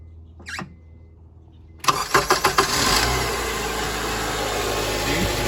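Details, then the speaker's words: 2006 Honda Accord manual after starter replacement: quick clean crank of a few even turns, engine catches and runs steadily with no grinding; new starter engaging properly. "But a couple times like this, it sounds perfect."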